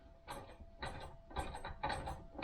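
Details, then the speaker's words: 1971 Triumph Stag "refurbished" gearbox on the bench, shafts turned slowly by hand: gritty rattling bursts about twice a second in third and fourth; internal gear rattle, cause suspected, not confirmed. "third gear rattling fourth"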